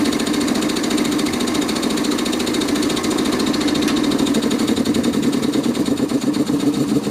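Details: Quincy 325 air compressor after rebuild with cleaned cylinder head and rebuilt valves, test run: steady, even pumping chatter with no knocks or squeals; normal running.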